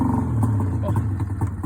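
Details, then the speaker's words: Rotax 670 two-stroke in a Summit snowmobile, started cold at about 30°F after priming and several pulls: catches and holds a fast, busy idle with no misses; runs normally after cold start. "So that's how that starts, and it's only about 30 degrees today. If it was colder, you might have to pull it 15, 20 times, and it just seems like it's just dead."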